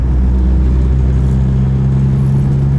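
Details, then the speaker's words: C6 Corvette with newly installed AMT Vulcan motor mounts, cruising at 40 mph in 6th gear at low rpm: a deep, steady booming drone and vibration into the cabin, which was also present on stock mounts and eases after a downshift to higher rpm. Low-rpm drone. "Like, it feels almost like drone, but I'm going 40 in 6th gear."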